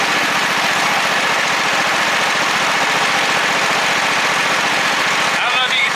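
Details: John Deere V-twin lawnmower engine before repair: rough, lumpy idle with uneven beat, only one cylinder firing; owner believes he has the cause figured out.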